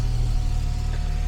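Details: 1967 Jaguar Mark 2 after fuel system work, started to bleed the cooling system: deep even burble at idle with no stumbles or knocks; normal idle, charging at 13.4-13.5 V.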